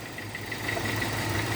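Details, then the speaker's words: 2002 Hyundai XD (Elantra) at idle, running on three cylinders with cylinder 1 completely dead from a failed spark plug; rough, shaky idle with uneven low beat, misfire fixed by replacing plugs and wires. "بص هنا قد ايه بتتهز المكنه بص مش عارف باين الهزه ولا لا شايف هي دلوقتي دايره على ثلاثه سلندر سلندر رقم واحد قاطع نهائي"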